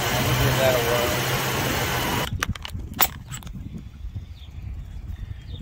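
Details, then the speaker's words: 1966 Mustang 289 V8 automatic, owner reports it running super rich: steady, even brisk idle with no misfire or knock, then shut-off and handling noises; sounds like it runs pretty good before a test drive. "I can hear it runs on pretty good"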